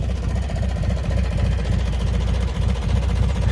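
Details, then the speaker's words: Small single-cylinder barn-find race mower dormant about 10 years, first run: quick steady idle, three to four beats a second, no stumbles, burning off farm dust; runs perfect, though the owner thought it sounded a little loose or weird because it's so quiet. "Runs perfect though."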